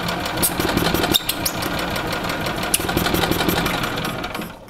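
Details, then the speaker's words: 1996 Yamaha G14-A gas golf cart, won't start after sitting over winter: even cranking chug near three beats a second with no firing at all; no fuel delivery. "so we know that we still have uh no fuel issue now"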